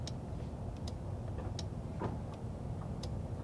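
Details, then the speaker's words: 1985 Nissan 4x4 pickup revived after sitting for years, engine idling: crisp, separate clicks about once a second as the headlight relay switches between bright and dim; normal headlight relay clicking. "You can probably hear the headlight relay working. So, listen."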